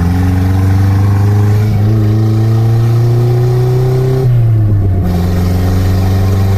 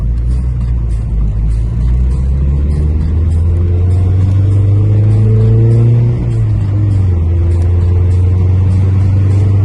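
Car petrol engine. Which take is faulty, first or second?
second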